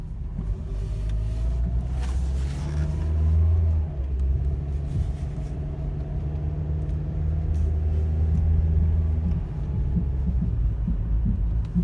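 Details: 2010 Toyota Corolla LE producing a loud thumping, popping noise, louder in person; deep uneven thumping about four beats a second over a heavy low rumble, source unknown.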